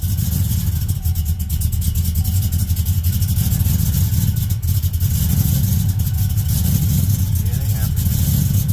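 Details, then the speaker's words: Vehicle with map sensor and oxygen sensor codes, cranked and started: low engine rumble stumbling unevenly with dropped beats; misfire, owner unsure whether map or O2 sensor is the cause. "I don't know why it would be the map sensor would cause your misfire"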